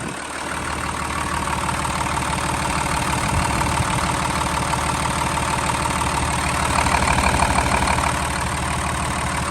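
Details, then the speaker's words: 2015 Hino 338 box truck, 266,000 miles, Allison automatic, engine bay open during inspection: steady, even diesel idle with a low rhythmic chug and no knocks or puffing. No blow-by and no leaks found; the engine sounds healthy. "we'll go ahead and do a rev up on the engine so you can hear it as you can hear it runs and drives accelerates as it should"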